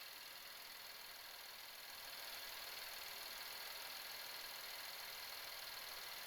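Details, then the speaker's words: 2018-2024 Buick Enclave 3.6L V6 at first start after spark plug change and intake manifold reinstall: fast, even, crisp light ticking about four times a second over a quiet idle; normal fuel injector tick. "got noisy fuel injectors. We can hear them just uh going crazy down there"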